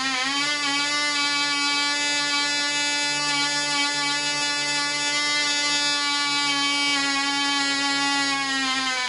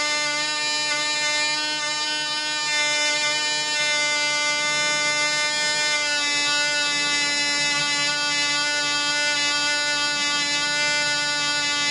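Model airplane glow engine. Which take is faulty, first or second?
first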